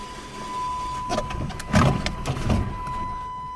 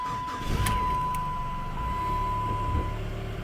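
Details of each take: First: Chrysler PT Cruiser, manual, after replacing the engine computer (PCM): brief uneven cranking pulses, never catches, possibly flooded. The new PCM must be programmed with the VIN to match the SKIM immobilizer module. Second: Chrysler PT Cruiser after replacement PCM installed, VIN updated and key codes transferred, fixing no-crank no-start: engine starts and settles to even low idle with constant chime; check engine light from unplugged intake air temp sensor.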